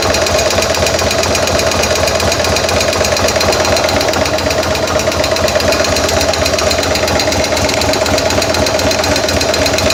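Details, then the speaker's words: 2000 M2 Cyclone V-twin, just after a stator change and shifter adjustment, oil a little low: a fast, even tick about two per second over the engine beat; owner suspects a sticky lifter, unconfirmed. "Must have like a stuck lifter or something."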